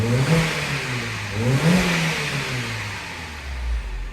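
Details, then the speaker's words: 2009 Mini 1.6 after cleaning a Vanos solenoid blocked by metal filings: it revs cleanly on two quick blips and settles smoothly without hunting. Before, it hunted and nearly cut out once the auto choke dropped, and wouldn't rev; the fault code hasn't returned. "and it also wouldn't rev up but that is already loads better"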